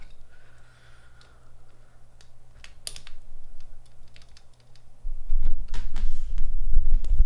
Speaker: definitely ticking I'm holding on the switch at least you know just so it stays tight in the PCB